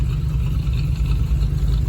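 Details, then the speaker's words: 1983 Chevy Silverado V8 idling after replacing a cracked flexplate that had caused a knocking noise; after driving about an hour and 20 minutes the fix holds: steady deep low rumble, no knock, normal idle. "all right folks I made it home drove it for about an hour and 20 minutes and that has fixed the problem huh"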